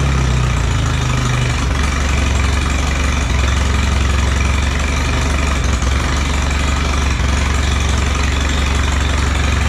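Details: Allis Chalmers B tractor four-cylinder gas engine, running after a long repair, with oil pressure. A low, steady thump at about four beats a second with no miss or knock. Normal idle.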